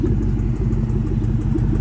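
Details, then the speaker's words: 2004 Ford Mustang Mach 1 V8 idling at operating temperature, recorded outside: a light, quick ticking tap over the rumble; a suspected driver-side exhaust manifold leak, possibly behind a lean code. "Yeah, you can probably hear that exhaust leak a lot better now. That little ticking, tapping sound is definitely an exhaust leak."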